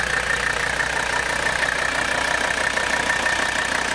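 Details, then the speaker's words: 1984 Mercedes 300D with 3.0 litre turbocharged five-cylinder diesel, idling: steady smooth clatter about three beats a second, no extra knock; a healthy diesel idle. "so you can hear the car running there's the beautiful diesel sound"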